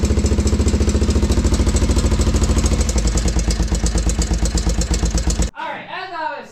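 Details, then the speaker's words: 1987 Honda Foreman TRX350 single-cylinder ATV idling after service, carb clean and valve adjustment (exhaust valves were tight): loose uneven slapping knock over each firing beat; top-end noise persists, cause not confirmed. "Alright, so we adjusted the valves. The exhaust valves were a little bit tight. We still get some slapping."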